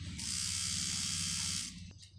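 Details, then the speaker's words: Cheap online rotary tattoo machine fitted with an 11 magnum cartridge needle: high buzzing whir with a low rattling motor beat that fades and stops, louder than with standard needles; struggles and stalls with the cartridge needle. "you can see it won't work with cartridge needles sometimes it just had some hard"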